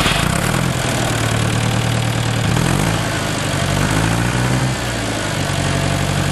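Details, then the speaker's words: Major tractor engine idling after starting with the clutch pressed: a deep, steady low chug settling into an even, unhurried beat with no knocks or misses. This is a healthy idle. "Räjäytetään, kun jää käymään. Helppoa kuin osaa."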